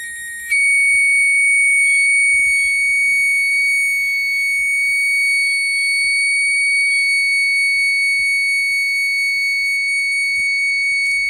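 A shrill, steady high tone switches on sharply and holds at an even pitch and level; the buzzer alarm is working properly.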